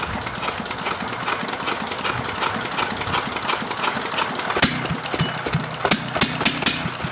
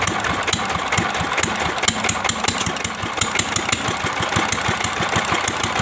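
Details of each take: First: Restored old S1100 single-cylinder diesel retested without oil priming: even steady thump with clean firing beat, no knock or rattle; running normally, rough gear set kept in use for now. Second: Old S1100 single-cylinder diesel at idle after restoration (one valve replaced, stuck piston freed from liner): sharp metallic ticks four or five a second over steady idle; rough, worn timing gears, left to owner whether to replace.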